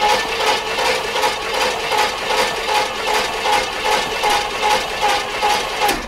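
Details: Chevrolet C10 pickup parked about 23 years, with 20-year-old fuel: even starter churning about two and a half beats a second with no firing and zero oil pressure reading; cranks but won't start.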